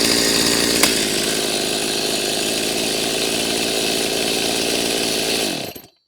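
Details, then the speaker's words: Freshly rebuilt Stihl MS390 chainsaw, very hot, smoking: high, steady buzz that never settles to idle, then cut off; high idle, owner suspects idle screw turned in or air leak, not confirmed. "now it was idling really high from the get-go and what that tells me is either the idle was turned in sometime in the past or it could be sucking air"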